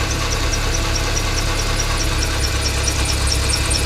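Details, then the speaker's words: 1995 BMW E36 318i at idle, before repair: a high, rhythmic chirping squeak, about five a second, from the worn deflection idler pulley next to the alternator on the auxiliary drive belt; maintenance spray only quietens it briefly, so the pulley is being replaced. "it's a noisy pulley. If I start the engine up, and it's that pulley there that you can hear squeaking. That's what's making that noise."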